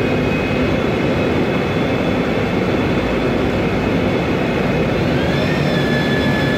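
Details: 2007 MAN Lion's Classic CNG city bus, MAN E2876 LUH03 EEV turbo engine, Voith DIWA 864.3 4-speed automatic, noisy Voith gearbox: constant high whine over drone plus a second tone climbing with speed; automatic transmission whine.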